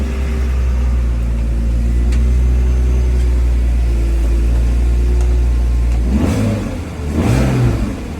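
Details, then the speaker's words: BMW Z4 E85 track car started after a DISA valve replacement, in neutral: a deep, even idle that rises cleanly through two quick blips and settles back; healthy normal idle and revving. "Hopefully it's all good. We'll give it a start up. So it is the Z4, but it's obviously a track car."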